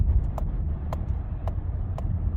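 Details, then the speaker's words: Chevy Cruze/Trax/Sonic/Encore-type car on a test drive up to about 40 mph after a driver-side hub bearing replacement: even low road rumble with light tyre tick, no roaring or grinding; old bearing roared from 15 mph on. "So I'm test driving the vehicle, and I hear no roaring noises or grinding noises."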